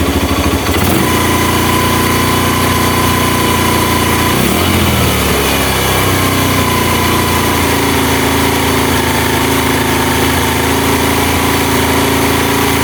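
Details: Honda Mega Pro mono single-cylinder, previously hard to start and dying at idle, after an air leak was found and the carburetor air screw adjusted: steady idle, even exhaust beat, one brief rev dip then settling smoothly.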